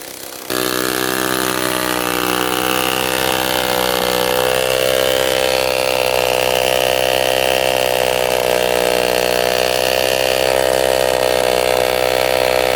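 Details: Restored 1946 Power Machinery chainsaw, made in Vancouver BC, first run after restoration: crisp even two-stroke buzz at steady pitch, no misses or rattles; normal running.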